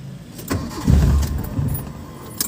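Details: Mitsubishi Lancer with a hard-starting problem, since fixed: keys rattle, then a short, labored crank that never catches cleanly; the cause is not stated.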